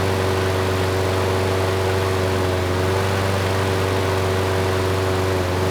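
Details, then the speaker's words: Craftsman curbside lawn mower (model 917.374541) after freeing a sticking auto choke: steady, even single-cylinder drone with no surging or sputter here, though occasional slight stutter noted elsewhere; running normally. "that was much better the choke sounds like it is turning off now the engine is running well there is a slight stutter every once in a while"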